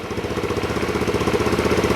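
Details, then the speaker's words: Kymco K-Pipe single after engine rebuild, first start, choke used, baffle fitted: crisp, even beat around ten pulses a second, no knocks or rattles; normal healthy idle. "Sounds absolutely fine. That's a relief."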